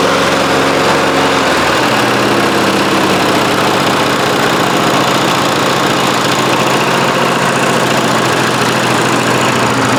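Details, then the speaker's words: 1993 Toro Recycler II mower with Briggs engine, found in trash, after fixing no-spark problem (bad ignition coils, damaged flywheel) and ether shots: catches and settles into a steady, even idle with no misses or knocks. "this mower has been about as frustrating a job as I've done in a long time. I can't believe it's running."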